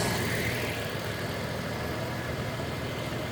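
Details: Toyota FJ Cruiser idling with A/C on; A/C light had been flashing with no cold air and no codes. Steady, even idle with a low smooth drone and no knocks, squeals or clicks.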